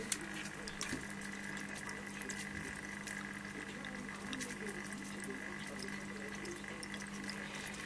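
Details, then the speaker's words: All Pond Solutions 600-HO hang-on aquarium filter, lid off, other filter switched off: steady soft trickle of falling water over a low pump hum, even and unchanging; should be quieter with lid on; normal running. "So that's not bad. Once the lid's on the top, you should barely even hear that."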